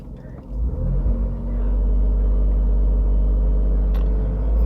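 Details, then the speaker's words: Tata Tigor BS6 three-cylinder petrol, noise meter: deep, smooth rumble climbing evenly to 3000 rpm, no knocks or rattles, peak 74 dB (limit 82 dB); healthy engine revving normally. "so up to 3000 rpm the maximum sound level is 74 db it is a good one actually not bad"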